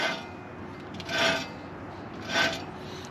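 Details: 2008 Chevy Suburban K1500, 5.3 V8, automatic, 4WD: two short dry rasping grinds as the front hub is turned by hand, from a worn, noisy front wheel bearing that needs replacement.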